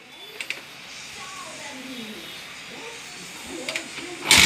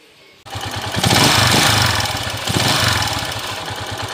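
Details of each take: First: TMX155 single-cylinder motorcycle after repair (new connecting rod, two bearings, timing gear, follower, pushrod): quiet start, steady even idle with no knocking. Normal idle; earlier bottom-end noise gone. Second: TMX155 single-cylinder motorcycle before repair: starts and settles into loud, rough clatter with uneven beat and shaking, from worn connecting rod and bearings, later fixed with new rod, bearings, timing gear, follower, pushrod.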